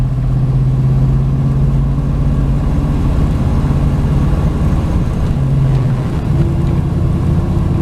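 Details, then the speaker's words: 1996 Chevy Tahoe driving in high gear after a broken wire was found in the 20,000-mile ignition wires: smooth drone dropping as the converter locks up, no bucking; normal cruising. "we just dropped over I think converter just kicked and we got no lucking no bronking of course we knew it was going to be better finding that broken wire"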